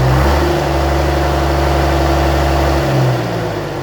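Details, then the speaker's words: 1965 Gardner 6LXB 180 marine diesel on test stand after rebuild following failure at 80 hours since previous overhaul: steady, even heavy running with low regular beat, then winding down; normal running, about 6 hours test run. "Okay, so that's us done with the test run. It's now run for about 6 hours."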